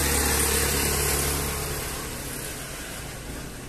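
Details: Loncin Rover 250 single-cylinder engine just rebuilt after other mechanics failed, first start after lubrication test: even, quick idle beat slowly quietening, no knocks or rattles on top; normal healthy idle.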